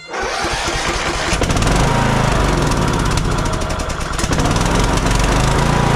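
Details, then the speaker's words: Kohler Courage 19 on a Troy-Bilt Bronco 42" riding mower, after an aftermarket carburetor install. Engine speed swells and sags, and it dies with the choke off. Suspected mixture problem: bad fuel or supply, an air leak, or a poor-quality carburetor. "something is going on with this with the air fuel mixture causing it to run like this it's either bad fuel it's a bad fuel supply it's got an air leak or that aftermarket carburetor just wasn't a good quality"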